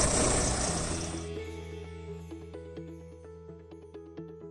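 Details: Volvo D13 truck diesel after replacing an ECM with a melted connector pin, which had caused a crank-no-start: rough cranking rush catches, then settles into a steady, even diesel idle clatter; starts and idles normally.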